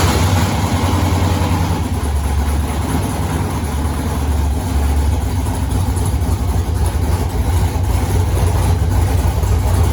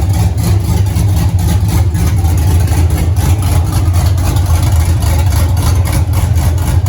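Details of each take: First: 1983 Mustang with cammed 5.3 LS from 2002 Avalanche, in park, thermostat not yet open, idling around 750 rpm (briefly dropped to 700 via HP2): lumpy loping chop, slight hesitation on rev; flat-spotted idle needing tuning, cylinder temps even within 10 degrees. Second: 1983 Mustang with cammed 5.3 LS from 2002 Avalanche and 4L60E, oil pressure 40 psi idle, 70 revved, no leaks: deep loping steady rumble, no tapping, grinding or misses; healthy idle, everything runs good.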